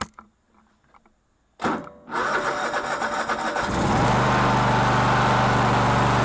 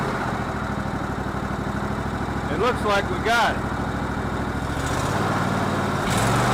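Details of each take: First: Cub Cadet LT1046 lawn tractor that was reported to run badly. The starter cranks, then the engine catches with an uneven, surging beat before settling. A fuel fault is suspected, and the rough running appears to be the carburetor flooding. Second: Cub Cadet LT1046 lawn tractor single that ran rough on old gas, after carburetor cleaning and reinstall: settles into an even, steady idle with no hunting or stumbling; normal running.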